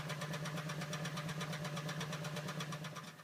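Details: 2009 Honda Pilot, over 64,000 miles, check engine light blinking, code P0302 cylinder 2 misfire: idle stumbles with an uneven chuff about three times a second over the engine hum, a dead cylinder from a fouled spark plug.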